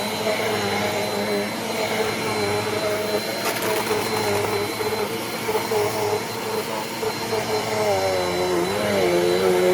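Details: Eureka Airspeed upright vacuum, a cheap curb find, after clearing a clog: steady high motor whine with smooth airflow hiss, pitch wavering slightly as it's rocked back; runs clean, no rattles or clogging, normal running.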